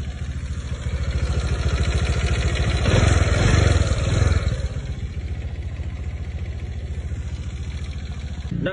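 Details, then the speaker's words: Honda Vario scooter engine idles with a harsh, uneven clatter that swells on revving; the owner first complained of engine noise, and the radiator has since started overheating; H suggests a scored piston. "Jadi, suar motor ini tuh kasar banget. Terus disusul buat bagian radiator tuh overheat, cuy."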